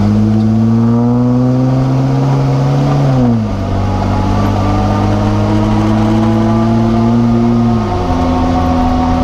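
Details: Jeep JK whine noise while driving: clear steady tone rising with road speed, dropping on each lift-off and climbing under throttle; gear whine seemingly from the rear differential.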